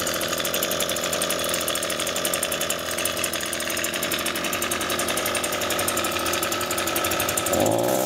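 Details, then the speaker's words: Echo two-stroke grass trimmer running poorly, before repair: uneven buzzing with a wavering pitch that sags instead of climbing cleanly. The engine bogs. "so as you see there it bogs"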